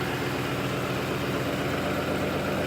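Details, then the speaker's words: 2006 Ford F150 5.4 Triton V8 at steady idle after an oil change, restarted once topped off; oil pressure came right up. Smooth, even low rumble with no ticking, knocking or lifter noise; normal healthy idle. "That time the oil pressure came right up, so we know we're good."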